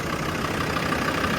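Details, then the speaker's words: 2000 Land Rover Defender 90 Td5 turbo diesel, low mileage, fully serviced, started after glow plugs: fires right off, steady even diesel clatter at idle with no misses or heavy knock, runs clean; normal healthy idle. "Fires right off. We're going to close the building. Smoke running the service here. She burns really clean."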